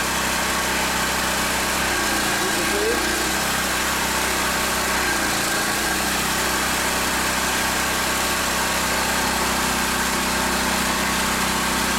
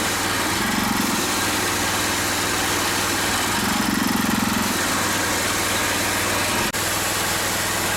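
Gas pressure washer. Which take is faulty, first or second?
second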